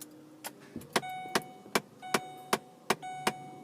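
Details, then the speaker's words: 2011 Lincoln Navigator with dual-zone automatic climate control, on startup: sharp repeated clicks, two or three a second, from the faulty passenger-side blend door actuator behind the dash; replaced with Motorcraft YH1933. "okay you hear that clicking noise okay that's called a blend door actuator that's on the passenger side"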